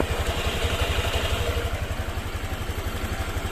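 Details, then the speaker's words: Honda Vario 125 FI scooter after a rough-noise repair, reassembled with the piston set at top dead center. Even, steady putter at idle with no rattle or roughness. Normal idle: smooth and responsive. "halus teman-teman jos responsif sip"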